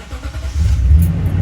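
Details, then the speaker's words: 2018 Toyota Tundra flex-fuel, day six after adjusting the fuel mixture for long-start problem, cold start in the 60s °F; catches in under a second to steady idle, no long hesitation, normal start. "started right up no problems no long hesitation start"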